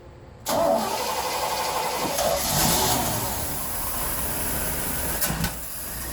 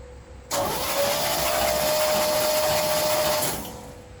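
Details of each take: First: 1976 Chevrolet C10 Scottsdale parked 40 years, new spark plugs, carb bowl filled, running on old tank gas: engine catches at once and settles into a quiet, steady, smooth idle with no misses or knocks; normal start and idle. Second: 1976 Chevrolet C10 Scottsdale parked 40 years, cranked on a new battery before new plugs and carburetor priming. About three seconds of faint, smooth cranking with a steady whine and no firing, so quiet the starter seemed not to engage: no start.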